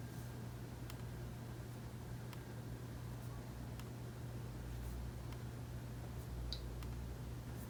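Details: New replacement part in the palm rest area: a faint, sharp click about every 1.5 seconds over a low hum. Cause unknown.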